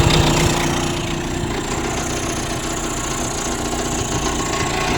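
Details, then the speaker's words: 35 hp Mercury outboard after lower unit repair, at low idle: uneven stumbling beat with faint snapping underneath; owner suspects a spark plug arcing and wants to raise the idle. "yeah we need to bring the idle up we're definitely something going on"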